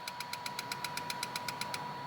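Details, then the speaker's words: Injectors pulsed on and off during an ECM active test with an Xtool A30M OBD2 scanner: crisp, even clicks about seven a second over a quiet idle, then stopping; injector working. "Jag hoppas att ni hör någonting nu, men jag tänkte vi skulle kunna prova och stänga av och på bränslespridaren kanske. Så ska vi se här. Hör ni kanske att det klickar."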